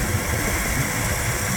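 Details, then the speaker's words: Petrol engine started after replacing a leaking water pump with one from the old engine: smooth, even idle with a steady low hum and light rain hiss behind it, no leak, timing good; normal idle. "Like it was before, not leaking. Timing is good. Everything sounds great."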